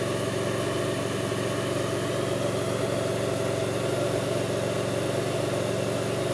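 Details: 2002 Pontiac Grand Prix 3800 V6 at idle, no check-engine light, alternator overheating; faint intermittent thumping pulls the idle down. Idle drone with an uneven, lumpy beat and occasional irregular thumps: rough idle, cause not evident.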